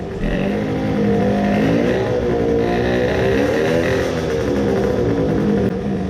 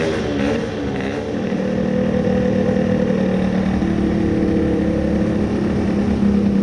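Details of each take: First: Tuned 20 hp two-stroke moped, crankcase filled with resin, now with coolant after idling 10 minutes to break in resin: about five revs, note wavers, revs drop faster than normal, labours, then seizes totally; owner suspects main bearings seized. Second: Tuned 20 hp two-stroke moped engine after crankcase resin filling, run without coolant so it got hot: steady even buzz holding one speed about ten seconds then shut off; runs smoothly, no seizing, perhaps slight grinding.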